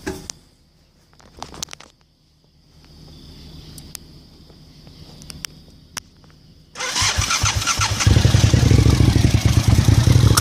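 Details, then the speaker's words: Engine started with vacuum lines in place where they're supposed to be, line into the throttle body, canister and sensor hooked up, check warning on screen: after cranking it catches and runs loud with an uneven, lumpy low rumble; rough running, cause unknown. "I'm going to show you what it sounds like it sounds horrible with the vacuum lines in place where they're supposed to be so here we go"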